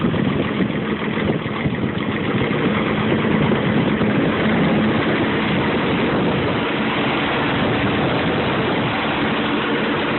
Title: Ticking/knocking noise